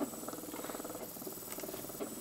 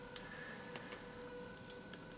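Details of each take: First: Small DC motor driven by Arduino through an L298N module at PWM values around 180 and full speed: steady electric whine, stops, then restarts in the other direction at a different speed and pitch; smooth and even both ways. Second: Small DC motor driven by Arduino through L298N module with pulse-width modulation on pin 9 at low speed, reversing direction every second: faint thin steady whine with light ticking underneath; PWM whine at low duty cycle.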